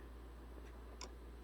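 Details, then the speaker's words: 2006 Honda Civic automatic with AC not working and compressor clutch not engaging; engine off, AC clutch relay toggled by scan tool: two faint, crisp clicks about half a second apart over a quiet hum, so the relay switches on and off normally. "And continue to toggle the state of the AC clutch relay. So that relay is clicking on and off."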